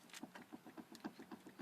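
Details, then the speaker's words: 1995 Dodge Neon sedan with a steering shudder at highway speed: light quick clunks, about six a second, as the raised front wheel is rocked by hand, from a worn inner tie rod; ball joints, outer tie rod, wheel bearing checked good. "inner tire rod is bad this could also be wheel bearings and such but sure you can hear that moving back and forth"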